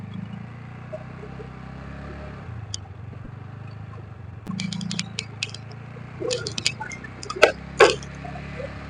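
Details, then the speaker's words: TVS NTORQ scooter engine idling after timing chain and tappet replacement. Low, steady putter with no ticking or chain rattle, which was heard before the repair, plus a few handling clicks. Normal smooth idle. "তো মই সব টিকেটটো change কৰিছে আৰু time যিমানটো সব change কৰিছে তো এতিয়াতো ইঞ্জিনখন বেছি ভাল লাগিছে"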